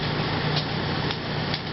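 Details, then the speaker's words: Refrigerator not cooling, set on 6, back panel half off: steady condenser fan hum with faint sharp clicks about twice a second near the compressor. "the Fan's running there's a little clicking sound over on this side"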